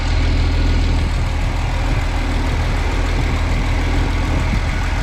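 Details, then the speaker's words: 1970 Chevy C10, stock 250 engine, after its Rochester Monojet was replaced with a 2-barrel Holley carburetor with new jets and an adjusted throttle screw: deep, steady idle with an even low rumble, no stumble, misses or hunting. "Sounds good. Feels pretty good. I don't hear any stumble or any choking."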